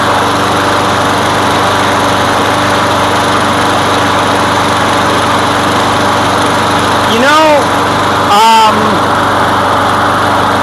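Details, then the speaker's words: Craftsman lawn mower that came in as a no-start, running after its gasoline-soaked air filter and damaged pre-filter were removed: steady, even drone with no surging or misses. The air filter was the fault, so no carb work was needed. "It primes. Let's try it again. Really? The problem was the air filter."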